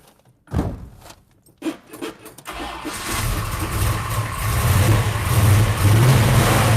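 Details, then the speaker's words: V8 with tall dual-plane intake and 750 Holley double pumper, previously backfiring, now turnkey on ignition switch; cranking bursts then steady even rumble revving cleanly with no pops or backfires; normal start and rev. "[Music] sounds good doesn't it [Music] [Music] i just love to rev it up"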